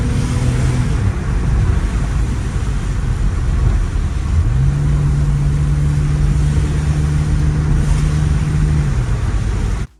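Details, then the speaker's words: BMW X3 with M54 inline-six on a test drive after fixing a misfire. Low, smooth drone on the move, pitch shifting evenly with speed, with no stutter or shake; runs cleanly. "Now we're gonna go do a test drive and see how the car rides."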